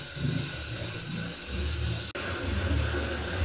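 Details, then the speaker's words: Central heating expansion vessel being pressurised with air from a compressor: low, uneven gurgling and hiss as air bubbles through the ruptured rubber diaphragm into the installation; vessel needs replacement. "It means that by pumping air here, it gets through the rubber mesh and lands in the installation, whether it is hot water or central water."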